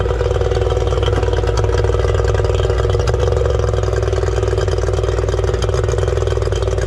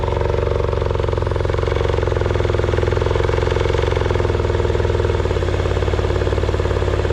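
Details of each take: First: 1989 Yamaha 30hp two-stroke outboard after exhaust seal repair, started with the throttle linkage left unattached: steady, slightly uneven high idle that never changes with throttle; the linkage still needs reattaching. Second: 1989 Yamaha 30 hp two-stroke outboard after exhaust gasket repair and throttle linkage reconnected: even buzz at a slightly high idle with regular firing, no misses or popping; running normally, exhaust no longer leaking from gaskets.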